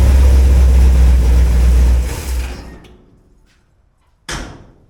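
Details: Cold V8 (flat-tappet cam, after a wiped cam lobe and teardown) at 40°F with good oil pressure and no water pump fitted; deep even rumble for about two seconds, no clack or knock, then shut down: normal cold idle.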